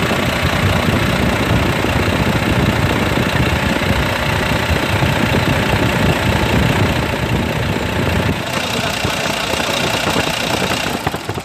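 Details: Volvo FM 400 truck, D11 diesel, after fixing a cranks-but-won't-start fault caused by a seized, wrongly installed pulley: steady, even idle clatter, then switched off and winding down.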